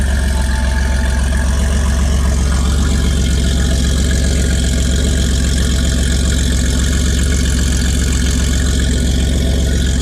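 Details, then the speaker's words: 1981 Porsche 930, mostly stock with a few modifications including an aftermarket exhaust, on a cold start: a deep, steady, even burble at idle with no knocks or misses; a healthy engine. "it's been a little little while so I thought maybe we'll do a little cold start action on this socker for you 1981 930 pretty much stock few little modifications a nice little rarely late exhaust system so have a listen to this"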